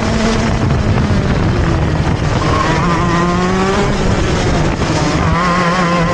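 The high two-stroke wail climbs out of each corner but sounds choked and slow to pick up revs, bogging under throttle.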